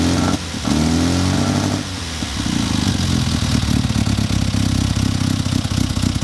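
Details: Classic Mini during a quick tune: lumpy, uneven idle with light tapping and a couple of short revs; ignition timing suspected, spark plugs to be checked, a bad cylinder feared.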